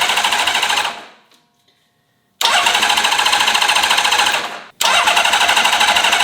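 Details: Honda CBX inline-six motorcycle, first start attempt in 20 years after a full carb rebuild, vacuum system ignored: starter spins with quick, even pulses in two bursts with a pause between; never catches, cranks but won't start. It later started after more fuel was added.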